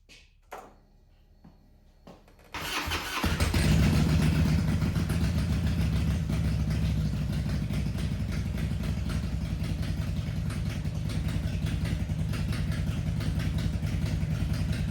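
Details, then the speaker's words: Harley Twin Cam 88 first start after cam and cam chain follower replacement, untuned, with oil topped up by 1 quart: a brief crank, then an even, loping idle of about three beats a second. It runs well, though the idle sounds slightly different. "You can hear it's running pretty well. Idle sounds a little bit different."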